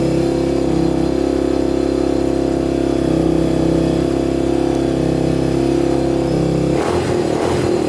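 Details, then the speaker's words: Honda TRX250X quad single-cylinder starting right up with a 120 main jet; idle stays a little uneven and hunts slightly before a throttle blip. Suspected lean running, plan to go to a 135 main and possibly a larger pilot. "all right well she started started right up no problem sounds like she's running a bit lean though so we might have to up the main and possibly the pilot"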